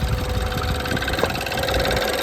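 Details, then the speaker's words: 2015 BMW 428i N20 after upgraded timing chain tensioner, fixing cold-start chain slap: smooth steady idle with light quick even injector ticking, no chain rattle or tapping, idle no longer fluctuating; normal running. "So, fuel injector noise that's fairly normal, I suppose. But so that Yeah, definitely less it's not like it's not tapping anymore. So, it's like so much smoother."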